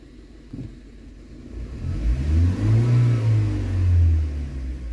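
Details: BMW 116i, warm, test revving after the rattle went away: revs climb and fall back cleanly and quickly with no stumble, knock or hesitation, oil pressure now steadier; normal revving.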